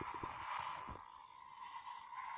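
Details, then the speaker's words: PiBoy DMG handheld speaker: steady high beeping tones with crackles and pops when pressure is applied near the speaker, because the membrane is pressed and cannot move freely; heat may worsen it, and loosening the shell screw near the speaker fixes it. "and now I release it. So the problem is the membrane is not moving properly because of the pressure."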